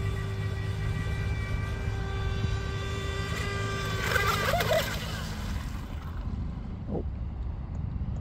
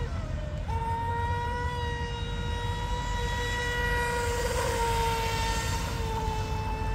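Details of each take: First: DIY RC Mini Mono boat on 3S with 436 three-blade TFL prop: motor stopped mid-pond, then a steady mid-pitched ESC beep holds a few seconds over water and wind; owner suspects setup overheated or power cut; motor later found not very hot. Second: DIY RC Mini Mono boat on fresh 3S LiPo with detuned CNC aluminium 436 three-blade prop, full-throttle pass: steady high electric whine at level pitch over water splash, smooth and even; normal high-speed run, motor healthy.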